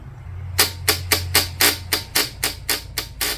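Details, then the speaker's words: Motorcycle no-start: key on, starter button pressed, rapid even train of sharp clicks about four a second with no cranking, bike won't turn over; battery named the most common cause, not confirmed. "So let's start, no pun intended, with a no start and the bike does not turn over when you turn on the key and press that starter button. Maybe you just hear something like this."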